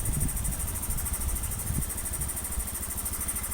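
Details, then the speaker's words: First-generation Honda Beat FI scooter that was hard to start and stalled when cold, after fitting a good injector: injector reads 2.6 ms at idle, the standard value; steady, even low putter with no stumbles; healthy idle. "nah di angka 2 masih 2,6 dan langsam juga baik gitu loh"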